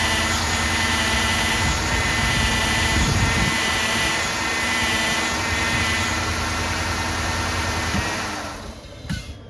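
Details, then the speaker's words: 2007 Cadillac DTS 4.6 Northstar V8 at idle, before pump replacement: a faint, constant whine over a steady idle from the power steering pump, which is noisy and leaking on the back side. "power steering pump it's kind of leaking on the back side but uh it's more noisy than anything I'm gonna start it up real quick so you can listen to it"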